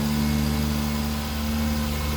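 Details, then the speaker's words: Mark 3 Toyota Supra with a single turbo, just back from the shop: steady, even low idle with a constant hum and no ticking, knocking or stumbling. It sounds smooth and healthy. "but uh yeah let's hear it I think smooth"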